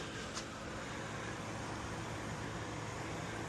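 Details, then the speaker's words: Ryobi misting fan after its seized pump rotator was freed, with vinegar added to clean lines of hard campsite well water; fan on, pump on high, steady even fan whoosh over a soft constant pump hum as the jets start spraying: normal fan and pump operation. "Fan on, pump on high. You can already see the water flowing. Here comes the jets. And there we go."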